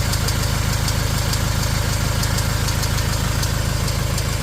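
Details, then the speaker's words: Fiat Ducato 180 Multijet diesel at steady idle: sharp, even tick about three per second from somewhere at the back of the engine. Runs well otherwise; auxiliary belt, tensioner and alternator replaced, turbo done 20,000 km ago; cause unknown. "Mikä on tämä ääni? Tuolla on naputus tuolla taustalla. Moottori kuulostaa käyvän hyvin."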